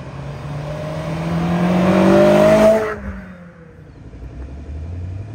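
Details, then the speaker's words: Honda S2000 with aftermarket exhaust, drive-by: clean rising rev peaking and dropping away, deep even note without boomy drone; healthy sports exhaust. "it doesn't sound bad from out here I like it doesn't sound like it drones"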